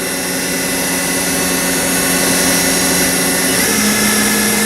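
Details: Haas VF5D/40 vertical machining center, spindle after a warm-up program, being ramped up in 10% steps (1500 toward 2000+ rpm) in a quiet room: clean steady whine stepping up in pitch, no grinding or rumble; normal spindle run-up.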